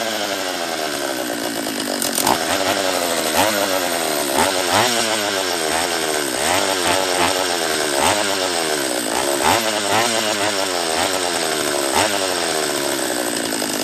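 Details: Husqvarna 44 chainsaw after rebuild, on its third heat cycle, fuel leaking near the petcock, carb just leaned back an eighth turn: surges and sags instead of holding an even rev; rough running, lower end to be inspected.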